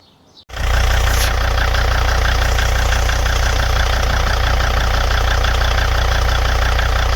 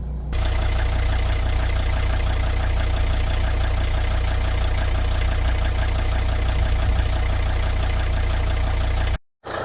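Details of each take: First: 2003 Volvo XC90 D5 diesel idling on new aftermarket mounts: heavy low drone with uneven shudder about four pulses a second; stiffer-bushed torque mount, likely petrol-variant part instead of D5-specific Volvo part, links engine directly to subframe. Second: 2003 Volvo XC90 D5 diesel idling with replacement mount fitted: even tickover with steady low clatter, no lumpy shake or surging; idle vibration far more acceptable, owner suspects vacuum system not fully working.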